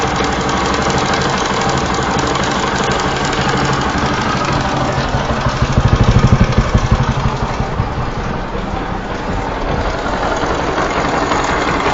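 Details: Pulsar (Rouser) 135 LS idling unevenly with a quick metallic clicking rattle from the top end: a badly slack timing chain hits the upper camshaft sprocket; rocker arms fine, tappets correct (0.05 mm intake, 0.10 mm exhaust); chain replacement planned.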